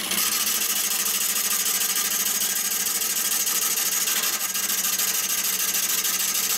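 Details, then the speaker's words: Maple burl bowl on a lathe, cutting the natural bark edge: rough hissing cut with rapid uneven chatter as the gouge cuts and misses, wanting to kick the tool away; turner pulls down on the tool more firmly, and a speed change made a big difference. "when you get to the natural edge part of this course pull down on the tool a little bit more firmly again you're going to be cut and missing and therefore it's gonna want to kick the kick the tool away"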